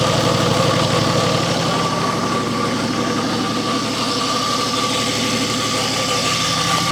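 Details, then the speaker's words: Nissan GQ Patrol diesel on its first start after years unregistered, idling in neutral: a constant rough scrape and high whine over the clatter, possibly from the gearbox/clutch area. "did not sound good. I don't remember it sounding like that last time I started. It could sound like it was coming from the from the gearbox sort of the clutch area."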